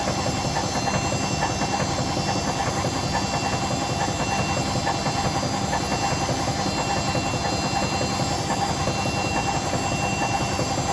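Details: Hotpoint BHWMXL145 washing machine on a test spin. A regular heavy thump near seventy per minute over a drone. The cause is two snapped drum spider arms, not the bearings as originally claimed, and the drum is also cracked at the back.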